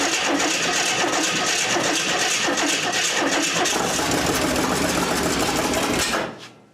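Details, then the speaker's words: 1927 Hudson, unrun about seven years, after new starter cable, points and timing unchecked, no fuel yet to carburetor: steady brisk cranking about three turns a second with a first catch before it cuts. "well there you go that's the first hit since I've owned this vehicle"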